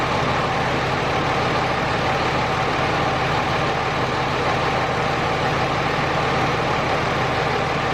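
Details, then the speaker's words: Third-gen Cummins diesel pickup after injector and AirDog install: even, steady idle clatter with regular beat, no stumble; previous injector hang and small misfire now gone, engine sounds healthy. "Alright guys, as you can tell, truck definitely does run pretty good, a lot better than it was."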